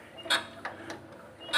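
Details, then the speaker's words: Lister LD1 diesel turned over clockwise by hand with the decompression lever lifted: four crisp metallic clicks in two seconds as the injection pump delivers fuel in time with injection timing; normal injection pump clicking, showing the cranking direction is correct. "มันจะมีเสียงดังแชะๆะๆะคือเสียงฉีดน้ำมันของปั๊มตามจังหวะว่าองศาการจุดระเบิดนะครับถ้ามีเสียงแชะๆๆเกิดขึ้นแสดงว่าเรามาถูกทางแล้ว"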